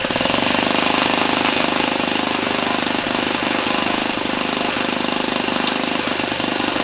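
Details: Laser 100 single-cylinder RC glow engine, first run in 15 years, front housing working loose: loud high-revving buzz with harsh metallic clanking and knocking.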